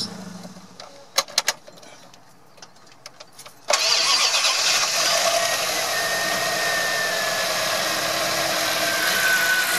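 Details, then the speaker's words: Chrysler 318 (5.2 L) small-block V8 after oil pump replacement and trimming a bent cover plate and shimming the starter: quick crank, catches and settles into steady even idle with no scraping or knocking, sounds healthy. "much better all right I'm done over and out"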